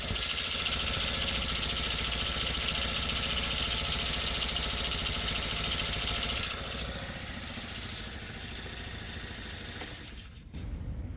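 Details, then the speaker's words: 2001 Honda Elite CH80 scooter, sat 8 years, after a gas tank clean and carb work, warmed up: small single idling evenly and firing regularly with no misses or knocks; runs healthy. "So that's great. I mean, I'm really happy. The engine sounds good. It's running good. It starts up each time."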